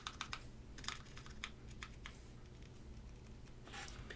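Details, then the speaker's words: KBDFans Agar Mini EC full-brass 40% keyboard, Navies EC switches, aluminum plate, tray mount: irregular keystrokes with soft dry scrape on spacebar, no rattle; scratchy spacebar stabilizers. "These are very very scratchy stabilizers. I can very even hear the scratch. So, I'm not a big fan of these stabilizers."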